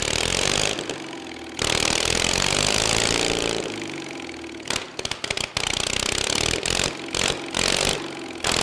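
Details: 23 HP Kohler engine restarting after refuelling, choke sticking slightly: cranks over, catches and settles into a steady small-engine idle with some stumbles; running normally.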